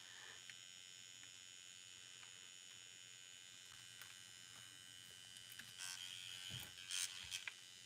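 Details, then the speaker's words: RC truck being set up: brand new steering servo holding position, a little loud, thin steady high-pitched electric buzz with faint hum and a few clicks; normal servo hum. "That's a brand new servo, too. So it's a little loud. It's a little loud."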